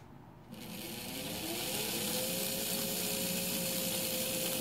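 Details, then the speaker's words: Märklin 3090 locomotive that stopped at high speed, after fixing its reverse unit (relay) spring by reattaching the old spring using 80% of its length to tighten it: small motor whirrs up then holds a smooth even buzz, no stumbling; running normally. "pretty good and our arse is still working"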